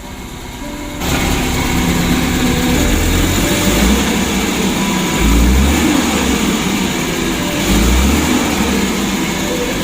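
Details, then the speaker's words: Suzuki Carry 1.5 injection running unevenly with a lumpy, stumbling beat and surges, heavy throttle; later traced to burnt, stuck coil wiring from fuse to ECU to coil and a broken TPS wire. "Tapi mesinnya agak pincang ini. Nanti kita periksa keseluruhannya ya. Untuk sensornya, lalu saringan udara."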